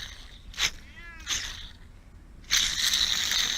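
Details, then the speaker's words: Mercedes SL600, original idler pulley removed and spun by hand: a short gritty rasp, then a longer dry grind; the bearing is worn out and has play, so the pulley is being replaced. "the bearing is gone in there it's actually even have play in it"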